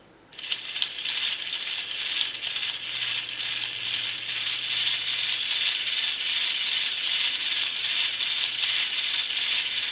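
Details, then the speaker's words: Restored James Bond tin toy car motor gear train with replacement gears, speeding up: fine, steady high-pitched whir running even without catching or skipping; spins freely. "I'm quite happy with that. So that's that motor working, long last."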